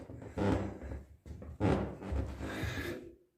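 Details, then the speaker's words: Creaking wooden plank floor under shifting weight: boards were screwed down and each wedged, the squeak stopped, then returned after a plywood sheet was laid over them; PVA glue was tried without success, drawn-out groaning creaks of squeaky floorboards. "постелил я кусок фанеры и скрип снова появился не знаю че делать вот скрипит пол"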